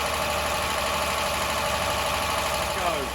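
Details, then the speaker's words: Ford Granada Mk1 3.0 V6 Ghia, carbureted, stone-cold start with a newly fitted choke cable: it catches and settles into a steady, even idle purr with no knocks or misses; a normal cold-start idle. "But listen to that purr. Beautiful."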